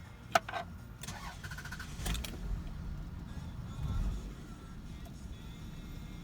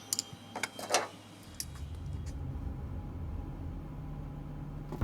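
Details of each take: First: Car that idles roughly after cold start, recurring each spring after air conditioner use: engine catches then idles low and lumpy, nearly stalling, needing throttle to keep running; clears once driving. Suspected throttle body, IAC valve or mass air flow issue, unconfirmed. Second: Fuel-injected car that used to idle rough and stall after air-conditioner use, after cleaning the throttle body, IAC valve and MAF sensor: steady, even low idle hum with no stumbles or dips; 18 miles driven smooth since. Normal idle after repair.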